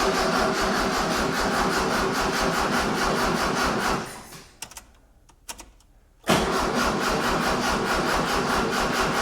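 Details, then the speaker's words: 1976 Mitsubishi Galant hardtop with 2.6 L Astron engine, fresh 91-octane fuel added: starter cranks evenly about 2.5 beats per second with no firing; won't start, accelerator cable not yet connected. "Not yet. I haven't actually cons connect connected up the accelerator cable. That would help."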